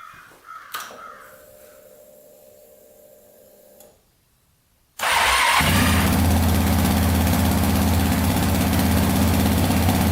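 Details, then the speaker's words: Stock Yamaha Raptor 700 special edition single, cranked on a newly fitted specialized battery: quiet cranking, then it fires right up and settles into a steady, even idle with no misses and no smoke; healthy start. "Fired right up, baby. No smoke yet. That's good."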